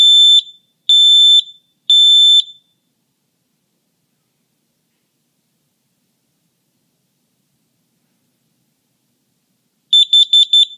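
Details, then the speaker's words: Combination smoke and carbon monoxide detector near the furnace, test button pressed: three sharp, shrill beeps about a second apart, pause, more beeps; the alarm test sounds normally. "now the interesting thing about this one is when you press the button on it it actually gives you a an audible alarm"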